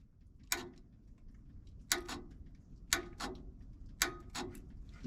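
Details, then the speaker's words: Old Snorkel TBA-42 manlift, hard to start with dodgy electrical connections: the solenoid, fed by the wire straight from the battery, gives sharp, clean clicks in quick pairs each time it is energized; it is pulling in properly. "that sounds like it's working so does that good deal"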